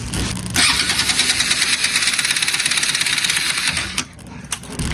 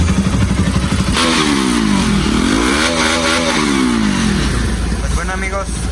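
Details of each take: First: Bajaj Pulsar RS200/NS200 that stranded its owner; starter spins the engine fast and loose with no compression pulses, a free-wheeling whir from a jumped timing chain. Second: Bajaj Pulsar RS200/NS200 after repair of a jumped timing chain that left no compression, valves not hitting the piston: even idle, then clean revs rising and falling smoothly with no rattle or tapping; engine healthy.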